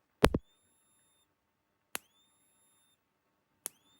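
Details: Rutland Electric Shepherd ESB25 fence energizer on 6 V battery, after repairing a broken transformer coil wire that stopped it clicking: single sharp snaps about every 1.7 seconds with brief high ring; pulsing properly, low-measuring capacitor to be replaced.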